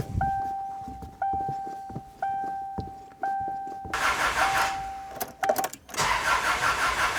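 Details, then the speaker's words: About 2001 Subaru Outback non-runner after new oil, antifreeze and battery: steady starter cranking with healthy compression rhythm but never fires; no fuel smell, cause later found to be crossed fuel lines. "Not smelling any fuel. Sounds fine compression wise. Turning over good, but it's not firing up."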